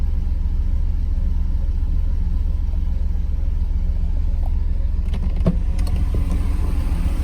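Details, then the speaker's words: Mercedes SL 500 idling after vacuum-leak repairs, battery left connected so the computer may be relearning: low, constant idle rumble with a slightly uneven pulse and a slight shake, maybe smoother than before but still not fully smooth; rough idle, cause not confirmed. "it's hard to say if it's running any different actually I mean I want to say it's running smoother but it's still not not um completely smooth I don't know if you can see it's shaking a little bit"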